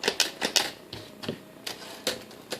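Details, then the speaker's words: Restored 1957 Olympia SM3 typewriter, serial 1064747, typing on the red ribbon setting; crisp, snappy, uneven key strikes, about eight in three seconds, each a clean sharp clack, action working freely and correctly. "I get ahead of myself trying to type too fast to show these things off, because I'm really not that fast of a typer."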